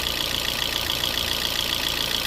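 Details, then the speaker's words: 2012 Fiat 500 revived after sitting probably about a year, valve cover off, low on oil, smoking: steady idle with busy, even ticking clatter from the uncovered top end, lifters quietening as it runs, no deep knock; normal idle. "Plus, who knows what's in that engine. There could be metal or anything in it, but it's running and it's not knocking."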